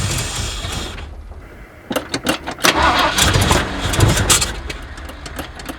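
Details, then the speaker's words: Abandoned 1979 Ford F150 Ranger with modified 351, started on a shot of brake clean: cranking catches into a few ragged, uneven firing bursts, then dies; accelerator pump not moving, carburetor or fuel pump suspected, possibly a clogged carburetor. "Starting to think we've got some issues with this carburetor or the fuel pump, one or the other. Accelerator pump isn't moving at all."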